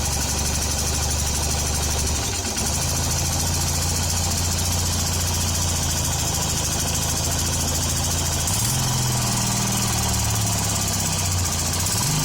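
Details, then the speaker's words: Hero Honda CBZ Xtreme bike after tappet (valve clearance) adjustment: steady idle that picks up briefly on throttle blips, no sharp top-end ticking, sound now clear; normal idle. "आज सुबह जब आवाज बिल्कुल clear आ रही है भाई"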